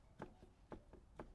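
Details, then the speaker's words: 1993 Honda CR250 dirt bike, rear wheel rocked by hand: sharp clunks about every half second from free play, indicating shot rear wheel bearings that need replacing. "there's a bad knock wheel bearings are shot this bike needs wheel bearings"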